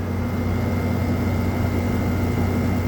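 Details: 2017 Frigidaire 5,000 BTU window air conditioner FFRA0511R1, possibly previously dropped, compressor on cool: steady low hum with smooth, even refrigerant flow rush and no rattles. Normal operation.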